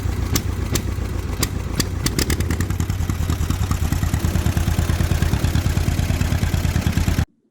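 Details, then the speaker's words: John Deere M tractor (year unknown), cylinder number two misfiring about 90% of the time with an occasional pop; slow lopsided chug. Plug swap changed nothing; sticking valves suspected, not confirmed. Intermittent cylinder misfire. "number two is misfiring 90% of the time every now and then you get a pop out of it"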